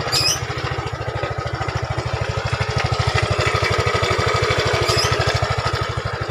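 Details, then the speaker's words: Yamaha Fino 125cc fuel-injected scooter idling before repair, before CVT inspection: harsh, rapid, very regular clatter over a loud idle beat. Very rough sound though the scooter runs normally. "Jadi ini suaranya lumayan kasar atau sangat kasar, tapi motor normal kayak lagi ya."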